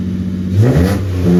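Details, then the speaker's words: Free "ran when parked" BMW, first fired up after relay and wiring work and fresh fuel; it revs smoothly and settles back evenly, a little smoky, with no knocking or misfire. The clutch feels off and it won't go into gear. Normal engine revving. "well I mean it's a little bit of a wiring nightmare but got her fired up D A little Smokey yeah yeah"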